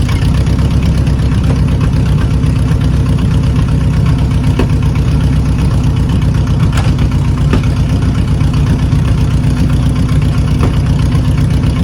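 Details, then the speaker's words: 1980 Chevy K30 Squarebody with a small-block 350, running and driving for the first time in years: V8 idles with a deep, uneven rumble, the beat stumbling now and then from a misfire. "Oh, it's got a misfire now. Nothing's on fire. Nothing's on fire. It's just misfiring, that's all."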